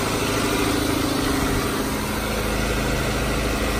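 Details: Car engine at steady, even idle with no knocks or misses right after a jump start from a Clore JNC770R Jump N Carry on a dead battery; voltage is present and the car shows it is charging, running normally.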